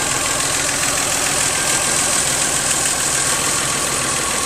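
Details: 1997 Geo Metro with weak compression on some cylinders: steady, even idle under a constant hiss, one small tick noted, no knocks, misses or rattles; healthy.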